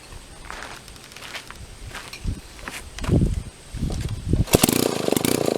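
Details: Restored Mall 12A two-stroke chainsaw, gummed carburetor with one float bowl plug screwed in, carb not 100% tuned: footsteps and handling, then it catches and settles into a raspy steady run, no misfire.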